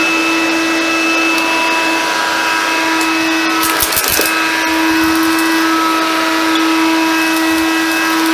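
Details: Hoover Convertible Dial-A-Matic U1124A upright vacuum, run after removing leftover filter-medium debris: a steady, even motor whine with no rattles or surging. Normal running.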